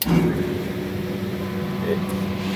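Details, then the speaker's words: Refrigeration condenser fan motor, 460 V, full load amps checked, running steady low even hum with no rattle or grind: the quiet, healthy motor among noisier dry-bearing ones. "drop down there. I mean, that's close enough. You can tell it's pretty quiet."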